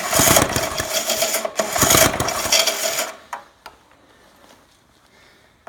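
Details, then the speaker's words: Trash-picked tiller with a fuel issue, runs inconsistently: harsh scraping rasp with each cord pull, then quiet; the recoil starter itself is rough and noisy. "that sound is the recoil starter being awful"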